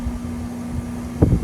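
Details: Relatively new 2023 Amana 4-ton air conditioner after installing a hard start kit rated for 4–5 ton units; steady low hum, constant mid tone, no labouring, then a couple of brief thumps; compressor running normally.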